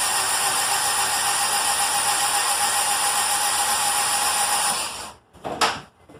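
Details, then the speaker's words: Honda D17 EM2 engine, 315k miles, after in-car rebuild with new rings and ARP rod bolts: cranked with spark plugs out and injectors unplugged to prime oil; even fast starter whir without compression pulses for five seconds. "I'm going to prime the motor real quick. The fuel injectors are not plugged in. Spark plugs are not in."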